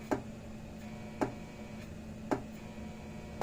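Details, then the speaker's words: International Super 100 solid-state electric fencer (power pack module) after repair of low/no output: crisp single tick just under once a second over quiet hum, tester lights and bulb lit; output now hot, fencer pulsing normally. "there it's picking up so yeah it's nice and hot now now light bulb even works that's nice so this one's basically ready to go"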